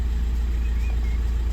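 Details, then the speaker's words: VW Passat petrol after oil sensor replacement: starts up, deep steady even idle with no knocks or misses; oil warning gone. "I'm going to chuck this in bin, we're of the assumption that that was the issue. Starts up, it's fine."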